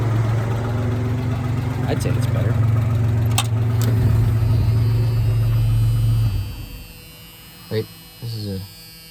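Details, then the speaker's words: 1985 Ford Ranger 4x4 after major engine surgery, sat 20 years, first test drive; rough idle with fast regular puffing tick three to four a second; owner suspects exhaust donut gasket or catalytic converter; exhaust leak. "well it's definitely an exhaust leak sounds like the exhaust right there that's a horrible exhaust leak"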